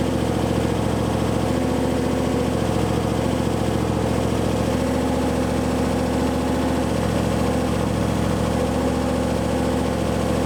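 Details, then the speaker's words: Maliboost engine at its first start after 30 days, idling steadily with a light, quick tick about three or four times a second. The power steering reservoir was found almost empty; the noise is suspected to come from there, but that isn't confirmed. "it sounds like it doesn't sound like a rock it sounds like it's ticking something"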